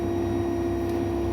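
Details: An AEG Lavamat 7000 Series washing machine on spin gives a smooth, even whine at one pitch with no knocks or grinding, and a slight squeak at start-up. This is the normal sound of its brushless motor.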